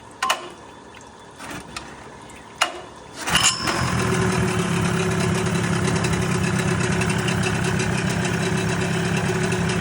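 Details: First start after repair of a boat outboard motor: a few pulls, then it catches and settles into a steady, even idle with no knocks or misses; running right.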